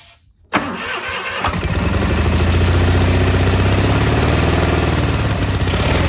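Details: Cub Cadet 1430 abandoned for years, fuel turned red, started on ether; catches and settles into slightly uneven hunting idle with faint stumble, burning off deposits, smells bad; one side possibly misfiring a little.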